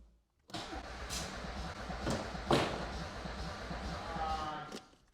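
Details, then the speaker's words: Audi 80 no-start: starter turns engine over at steady pace about four seconds without firing; no spark found after trying another plug wire, distributor suspected; plugs possibly fouled by brake cleaner, multimeter maybe too slow to register. "U: DId you get spark? R: Nope! U: Then I'd bet on the distributor"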